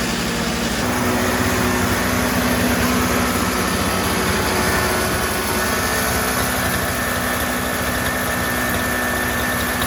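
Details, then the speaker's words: Toro CCR3000GTS single-stage snowblower, 5hp Suzuki two-stroke, started for summer storage to run the remaining fuel out of the carburetor: steady, even buzz with no misses or surging. Normal running. "Okay, so now we want to start it up to get the remainder of the fuel that's in the carburetor out by running it through the engine."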